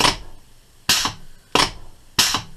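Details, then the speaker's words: 1927/1955-type Metropolitan Vickers/GEC electro-pneumatic unit switch from a preserved electric train, after servicing, tested on air and 120 V DC: four crisp even clacks with short air hiss, contactor operating properly. "say that's working quite nicely"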